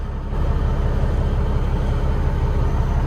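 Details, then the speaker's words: Old 379 ten-wheel dump truck, former over-the-road truck with 13-speed transmission, push-button start: the big diesel fires instantly and holds a deep, even rumble with no stumble or rattle: normal start and idle. "I like this old truck. Man, it sounds good. I wonder what it's got for a motor."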